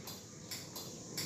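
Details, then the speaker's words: Yamaha Mio GT/Mio J scooter electric starter: a few faint, dry clicks each press with no cranking; faulty starter, several possible causes, battery checked first. "bisa terdengar ya bunyi cetek-cetek di situ ya Nah itu jadi ini kendalanya ada beberapa faktor ya friend"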